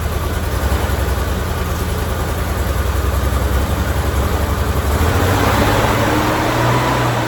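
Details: 1987 Ford Bronco II, first run after 15 years abandoned, started after a failed ignition coil was replaced and a ground wire reconnected; steady, even idle with no misses or knocks.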